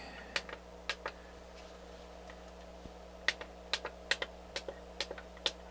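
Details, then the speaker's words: NAD C350 amplifier after full capacitor replacement, power-on test; sharp dry irregular clicks, about a dozen in six seconds, as the input relays switch cleanly, though a fault later reappears. "second click so the speaker relays are on sounds good so far"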